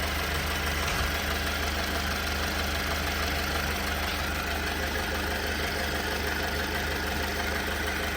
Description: Still experiencing rough idle.